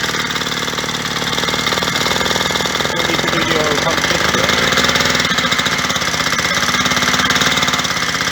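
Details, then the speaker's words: Yamaha DT125R two-stroke just rebuilt with new main bearings and seals: sharp, regular banging over a rattly idle at a few beats a second; engine knock, owner suspects a failing crankshaft or a head problem. "Right well there's plenty to be getting on with but I don't like that banging it sounds like there's something wrong"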